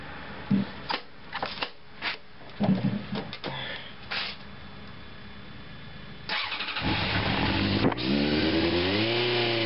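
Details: 1987 Honda CBR600F Hurricane, now on all four cylinders with four new spark plugs (previously one misfiring), not started since the day before, no choke cable: clatter, then steady even four-cylinder idle and smooth rise in revs. Normal, healthy running.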